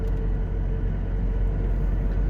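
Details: Toyota Revo pickup on four fairly new Suzuki Caribian mud-terrain tires, cruising around 80 km/h, heard inside the cab: a steady droning hum with low road rumble. Mud-terrain tire roar that grows louder at 90 to 100 km/h.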